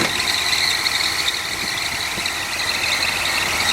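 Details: 1955 Chevy truck with the engine running: a steady, high-pitched squeal throughout, from an idler pulley the owner plans to replace.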